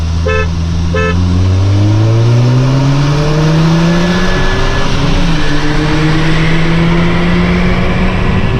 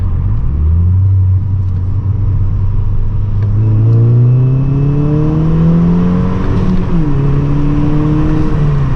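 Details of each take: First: 2012 VW MK6 GTI 2.0T pulling: a thin high whistle, the diverter valve screaming, rides over the engine. The leaking factory diverter valve loses boost, before the Go Fast Bits DV+ upgrade. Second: 2012 MK6 VW GTI 2.0T after fitting a Go Fast Bits DV+ diverter valve, accelerating hard in second: rising engine note with turbo spooling cleanly and no whistle or scream; the earlier leaking factory diverter valve noise is gone.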